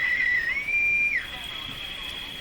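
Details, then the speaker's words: Sparton Model 5049 radio being tuned, which oscillates when its IF transformers are peaked: loud steady whistle near two kilohertz that drifts in pitch, from onset to full oscillation, then drops away. Spurious oscillation, cause under investigation. "so this Hound interference sound is interference that's oscillation starting and that's full oscillation"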